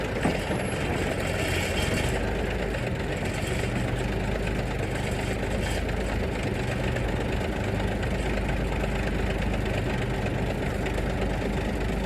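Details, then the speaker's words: 1973 Mack FR711 truck with 250C diesel and quad box, after bleeding air from fuel system: steady even diesel clatter at idle, no misses or knocks; normal diesel idle. "Anyway, it's running away nicely. Not running away, but it's running nicely there at the moment, which is good."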